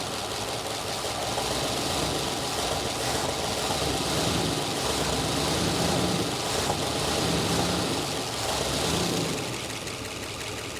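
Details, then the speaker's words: 1966 Chrysler Crown Imperial big-block, revived after 21 years, with new exhaust fitted: steady idle, much quieter, but a constant raspy buzz remains; source not pinned down. Exhaust buzzing at idle. "It's a lot quieter, but it's still kind of got that buzzing noise going over there."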